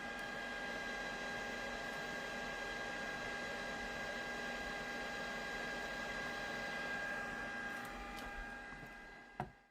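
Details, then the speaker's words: JMAZ Radiant PAR Duo LED light, fan about 6 inches from the microphone: close-up steady airy fan rush with a few fixed whine tones, no rubbing or ticking; cooling fan normal at full speed. "So we're about 6 inches away from the microphone here. And that's the kind of sound you're going to get with this fixture."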